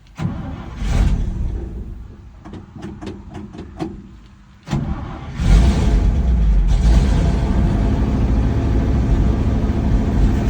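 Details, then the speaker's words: 1963 International Loadstar truck, started out of gear with the choke pulled slightly. Starter cranks in a few short bursts, then the engine catches and settles into an even, steady idle with no lifter tick or missing; smooth running. "So, from the videos, I've heard people having like lifter ticks and whatnot. Not this one. Very nice, smooth running truck."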